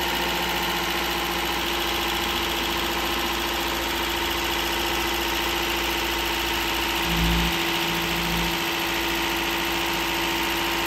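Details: Toyota Corolla 2ZR-FE 1.8L engine just rebuilt and reinstalled, first runs: smooth, steady idle with an even hum, no ticking or knocking, brief blip midway; healthy normal idle.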